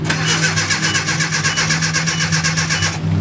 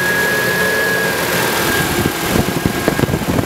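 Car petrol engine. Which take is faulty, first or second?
first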